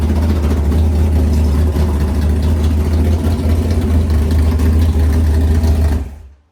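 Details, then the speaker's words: 500ci big-block Mopar built by Indy Cylinder Heads in a 1969 Barracuda, first fire-up in the car, float set high: deep, steady, even idle rumble with no knocks or misses for six seconds before shutoff; normal idle. "Hey guys, it's idling good."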